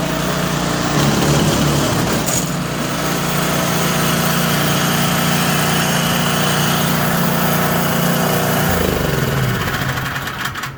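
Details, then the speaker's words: Troy-Bilt Squall 210 snow blower (model 31A-2M5E711) single-cylinder after ultrasonic carburetor cleaning, previously wouldn't start and surged from stale ethanol fuel; smooth steady drone with no hunting or surging, normal running. "This thing is now just running perfectly again after we clean that carburetor."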